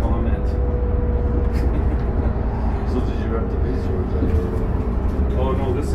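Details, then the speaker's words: 2008 New Flyer D40LFR city bus heard on board while riding: over heavy engine and road rumble, a thin, steady high squeal comes and goes as the bus slows. Squeaky brakes, cause unknown. "Brakes are squeaky, eh? Hear that?"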